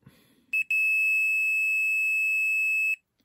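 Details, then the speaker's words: Torque Acoustics T100L guitar amp (c.1989–early 90s) that powered on with no sound; multimeter continuity beep holds steadily for about two seconds across the 2200 µF filter capacitor; capacitor is a dead short though cosmetically fine. "Although cosmetically it looks fine, it hasn't blown up or burnt up, but I'm pretty sure capacitors are not meant to be a dead short."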